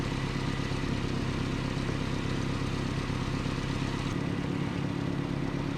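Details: 1988 Nissan D21 truck, 2.4L Z24 engine, after rough, surging idle diagnosis and vacuum line repair: even idle with a steady low thrum, no stumbling or hunting; smooth and settled.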